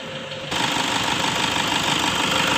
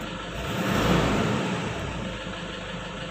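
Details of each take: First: 2009 Toyota Innova 2.5 diesel automatic, complaint of shudder/stutter on initial acceleration, fresh oil and fuel filter, bonnet open: steady even diesel clatter at about 800 rpm; idle sounds normal, fairly smooth; dirty intake, tune-up and purging planned. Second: 2009 Toyota Innova 2.5 diesel automatic, long unserviced, very dirty black intake: engine rises in two slow swells on throttle, body shudders on first tip-in; tune-up and purging planned; hesitation on acceleration from dirty intake and EGR.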